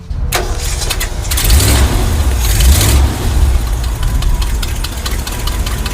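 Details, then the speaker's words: 1965 Ford F250 4x4 V8 with carburetor after jet change, catches and settles into a deep steady burble with no stumble; normal idle, air fuel ratio 12.6, vacuum 17.5. "The air fuel ratio is 12.6 and the vacuum is 17 1/2. I think it's pretty happy."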